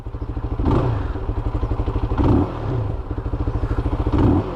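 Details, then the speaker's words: Shineray SBM 250s single-cylinder motorcycle: rapid thumping swells with throttle blips, then the beat slows and idle speed drops after revving. The owner says it has happened a few times; cause unknown. "Quando você dá um... Ó, caiu a rotação."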